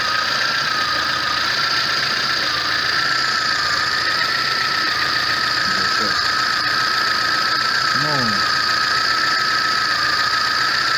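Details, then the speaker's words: VAZ 21099 after a burnt valve was replaced; the earlier misfire, shaking and hunting idle are gone: steady, even idle with no dips or shaking, compression now equal on all cylinders. "Собрал все до кучи. Ничего не троит, все работает, мотор не трясет, все здорово,"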